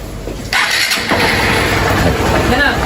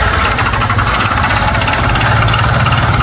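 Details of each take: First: Single-cylinder motorcycle brought in for misfiring and loud engine noise, after repair: fires instantly on the first try, then settles into a steady, even run; sounds healthy. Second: Single-cylinder motorcycle, misfiring and losing oil (about 1 L before 1000 km): fast loud metallic rattling over a busy idle, a serious internal knock; engine needs opening, cause not confirmed.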